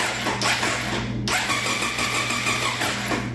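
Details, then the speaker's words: 1999 Triumph Daytona 955i parked for years, after reconnecting a found ground possibly for the ECM: even starter whirr turning the engine over with no firing pops; it won't catch because there's still no spark. "still no spk I don't even know what the hazards are on this thing honestly"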